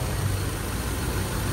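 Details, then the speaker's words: Subaru Forester idling with A/C on after the noisy air-conditioning compressor was fixed by recharging refrigerant and adding compressor oil; steady, even low rumble, no knock or squeal, noise gone and cooling well. "nawala na po yung ingay ayan pinasipsip lang natin ng langis o saka ang lamig niya lang dito sir"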